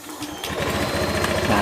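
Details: Honda Beat ESP fuel-injected scooter that was totally dead: fuel pump did not hum and injector error code 12 showed, traced to a faulty black-white wire. After the wiring fix, starter whirs and engine fires into a smooth, even putter.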